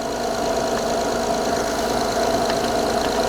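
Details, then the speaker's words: Honda J-series V6 after replacing the VCM spool valve to fix a front-head oil leak, engine cover off, after fixing a vacuum leak on startup: idles steadily and quietly with an even hum, no hissing, knocking or visible leaks. "But given that it's running quietly and I don't observe any leaks here"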